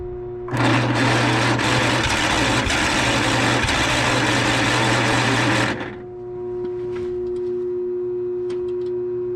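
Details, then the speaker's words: John Deere 318 lawn tractor that stalled and would not restart, run with the key on and the starter jumped directly: a steady, even buzz for about five seconds that cuts off cleanly, with no knocks or misses; a safety switch was causing the no-crank. "You could see I ended up getting it running when I jumped power to the starter and had the key on."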